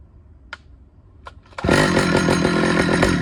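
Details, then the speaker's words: Stihl 009L chainsaw after fuel line and oiler work: after a few clicks it snaps into a strong, steady two-stroke buzz with even pulses, running clean; it runs, oils and cuts well. "All right, that's awesome. I don't know if you could hear me because I didn't have my microphone. It runs, it cuts, it oils, it cuts amazing."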